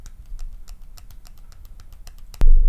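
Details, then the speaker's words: Voopoo Drag 2 mod with UForce tank, shaken: light rapid plastic clicking then a thump. The overhanging battery door rattles with or without batteries and with or without the ribbon; not a loose rattle. "can hear the door rattle. It's not a loose rattle. It's not going to annoy me in any way."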